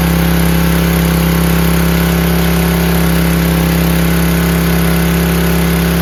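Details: Free 5000 W PowerBack generator with a Tecumseh engine, fitted with new fuel filter, lines and an undersized 5 hp replacement carburetor, started on choke without spray: loud, steady drone holding one even pitch with no surging or hunting. Normal running.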